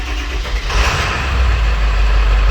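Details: 7.3L Powerstroke one-ton dump truck after valve cover gasket fix, glow plugs cycled, extra jump pack; cranks briefly then settles into steady low diesel rumble, normal start and idle.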